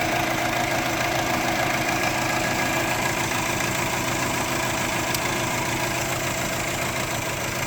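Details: 2004 Subaru Forester XT flat-four idling unevenly with a lumpy stumble, misfire on cylinder 1 with check engine light; plugs, coil pack, injector changed and timing checked, unplugging O2 sensor made no change.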